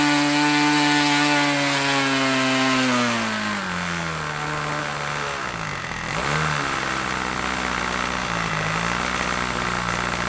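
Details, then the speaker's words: OS LA40 nitro glow two-stroke on a Balsa Max Thrust trainer, eBay engine sat months, started first turn, mixture dialed leaner after running rich: high buzz drops as throttle comes back then picks up cleanly and evenly; normal running. "Wow first time fired up can you believe that I mean wow I mean she's been sitting in the hanger for a few months now and everything else one turn and she fired up I am so impressed with that little engine"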